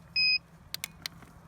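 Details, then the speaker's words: 70mai PS01 jump starter clamped to a completely flat car battery (0.0 V) gives a short high-pitched beep, signalling that the boost button must be pressed; the car then started. "if you can hear the beeps in the video that's it trying to tell you that you need to push the boost button to give it a bit more so"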